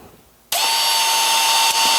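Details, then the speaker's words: Makita XMU04 cordless grass shear motor wired straight to the 18 V battery, about 18.7 V: snaps from silence to a clean steady high whine with no stumbles; runs normally. "so I'm gonna hook it up like so here's the battery and contact [Applause] it works like a hot damn"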